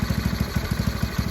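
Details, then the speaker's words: Go-kart engine running in neutral right after fitting a new PZ20 carburetor; quick, even putter, slow and slightly lumpy, idle sounds a bit low and may need adjusting: low idle speed. "got the engine running sounds like the idle is a little bit off so i really hope i don't have to take this thing off again to get the idle goat a little bit higher but hey it's running now"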